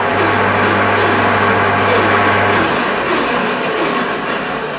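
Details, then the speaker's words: Sip 01366 14-inch bandsaw, first brief start-stop after fitting a new blade: steady motor hum for a couple of seconds, then switches off and coasts down with no clanging or banging; saw runs clean. "then stop well you're listening for obvious is any sort of noisy's clanging banging something's come loose once he's spun over then it should be good to go"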